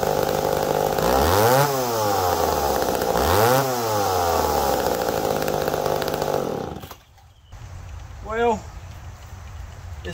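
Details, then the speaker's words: McCulloch Pro Mac 1010 chainsaw, in humid weather after rain. It blips up twice from idle, each rise soft and lazy before catching, then drops back. Boggy off idle, cause unknown; about the best it can be tuned. "boggy off idle and i don't know why"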